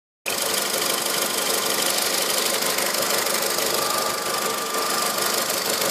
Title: strange engine noise